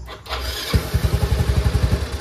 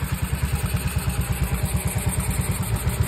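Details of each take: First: Yamaha Mio i 125 scooter whose throttle position sensor had been disturbed. The engine catches and chugs unevenly for about a second at roughly ten pulses a second, then dies when the throttle is opened slightly. The misadjusted TPS causes the stalling. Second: Yamaha Mio i 125 after repair: even, steady single-cylinder putter at idle, about two pulses a second, no misses or stumbles; idle now stable and healthy.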